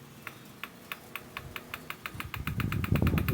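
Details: KDK stand fan, an older model with noisy, slow oscillation, running after capacitor and bushing work. Sharp ticks about three or four a second over the fan hum, getting busier as it speeds up. The oscillation gearbox gear inside is worn, a damaged oscillation gear.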